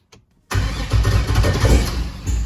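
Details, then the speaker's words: Turbo LS V8 in a Caravan, first key start after rewiring, engine previously unrun for a couple of years with some pushrods and rockers replaced: short crank, catches at once, smooth even idle with no lifter tick; oil pressure about 50 psi; normal start. "there's no lifter ticks like this engine has been running in a couple of years before the other day i fired up for like 10 seconds and there's no lifter noise at all"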